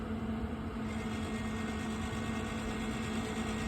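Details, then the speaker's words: Pit Boss 850 pellet grill after flame-out from running out of pellets, prime button held to feed the auger: steady motor drone with fixed hum, no catching or grinding; auger turning and feeding pellets normally. "It's feeding the auger more and more pellets. Okay, so hold this, try this, and hold it for a couple seconds. Let it go. As you can hear, it's running those pellets through."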